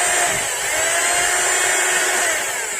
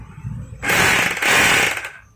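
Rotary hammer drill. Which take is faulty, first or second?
first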